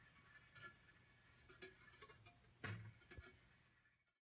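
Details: Congreve clock in a cold garage, whose lethargic action kept stopping it: light metallic clinks and clunks at an unhurried, uneven pace as the ball rolls and trips; now running nicely.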